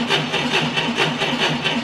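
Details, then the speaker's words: 1990 Ford Thunderbird Super Coupe, stored four years, after fitting a new battery (old one frozen): fast, even cranking pulses about five a second with no drag; very little voltage deflection and good cranking speed. "had very little voltage deflection audibly we had a very good cranking speed"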